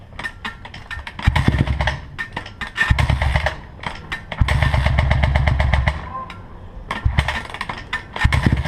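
Short throttle blips rise and fall, with a sharp, fast ticking rattle over the revs; there is an odd mechanical noise of unknown cause.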